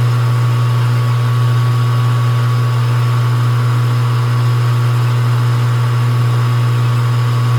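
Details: Small lathe cutting a 20 diametrical pitch, 14 degree pressure angle, 50-tooth gear at a 30 depth with feed rate turned down, steady motor hum and smooth cutting note with no chatter or squeal; taking the cut fine.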